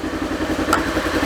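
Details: Polaris Ranger after tightening loose timing chain, which previously ticked loudly; steady even idle with soft regular pulse, no sharp ticking, much quieter: normal idle.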